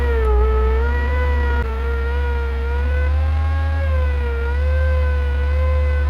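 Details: Bucket truck with new oil, no pony motor, hydraulics driven by PTO off the main engine: engine drone under even pump whine wavering as the boom moves, using lower controls. Normal PTO hydraulic operation.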